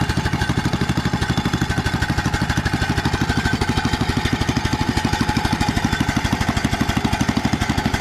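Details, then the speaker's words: Older Troy-Bilt tiller cultivator, reported lacking power and missing at idle, choke and throttle in neutral: loud, choppy single-cylinder thump about three beats a second, stumbling; misfire, suspected fuel starvation from the carburetor. "yeah yeah that's acting like it just ain't getting enough fuel that's what it's acting like"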